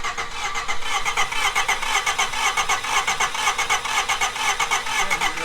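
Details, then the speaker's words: Honda Civic EG sedan, fuel pump primed and battery charged, cranks at a steady rhythm, about two compression pulses a second, but never catches; sounds low on compression or timing off. Worn plugs, wires with corrosion, cap and rotor. "really sound like it wants to start. That doesn't sound good. That sounds like, yeah, that don't sound like it doesn't want to go at all. It sounds low compression kind of."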